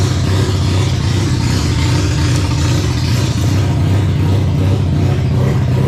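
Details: Mazda RX7 barn-find 12A rotary, carbureted, sitting for years, first startup after revival (carb flooding from suspected stuck needle and seat, small coolant drip): loud, smooth steady low buzz free revving in shop; runs healthy until it runs out of fuel.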